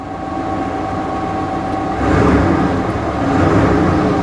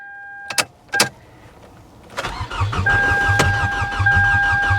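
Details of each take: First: Salvage-auction C4 Corvette believed sabotaged, started on the key: a steady, even idle with a low hum and no knocks or misses. Runs well; normal idle. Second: C4 Chevrolet Corvette at a salvage auction, powered by a booster pack: a couple of clicks, then strong, even cranking about three turns a second that never catches. It cranks well but won't start; the cause is unknown and thought not major.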